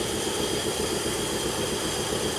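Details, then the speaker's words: 1950 Cadillac four-door sedan engine, first start after sitting 42 years in the desert, with Marvel Mystery Oil added: steady, even healthy idle with smooth hum and hiss, no lifter tick; oil reaching only some rockers. "Oh my gosh, that thing sounds great. Not even a lifter tick."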